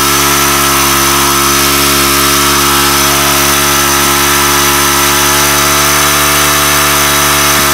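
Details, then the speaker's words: Weathered 29cc four-stroke Craftsman Speed Start curved-shaft trimmer, run after checking the oil level, suspected oil leak: fast, steady, high-pitched buzz with no drop-off even untouched; idle speed set well too high. "really what was not working good on this was um the idol was set so high on this i think that may have"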